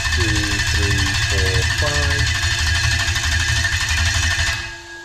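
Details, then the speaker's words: Starter motor controlled by a Link G4X Xtreme ECU with the crank time set to five seconds: an even starter whirr with steady compression pulses, about three a second, for roughly four and a half seconds, then it stops without firing. Normal cranking. "you're going to see that the starter motor is going to turn over it's going to turn over for five seconds and then it is going to stop okay"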